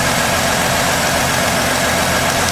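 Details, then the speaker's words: 2016 Ford F-150 3.5 V6 running after the correct starter replaced a wrong one on an engine said to need replacing; sabotage suspected with fluid in the cylinders. Quiet, smooth idle with a low hum and no ticking or knocking. Normal idle. "But somebody tried to sabotage it. She's quiet though."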